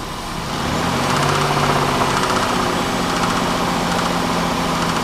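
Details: Pontiac Bonneville 3.8 V6, began clicking/knocking 15 minutes after a hard highway pull, died and restarted: rough idle with an uneven knock about four a second; coolant and oil mixed, owner suspects a bent rod or bad rocker arm.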